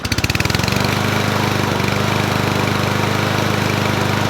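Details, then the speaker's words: Toro Recycler 20371 mower after carburetor work and RTV resealing: starts first pull, settles into steady even buzz, no misses or surging, no leaks from carb or sump; running normally. "all right started first pole and I didn't see nothing leaking from the sump"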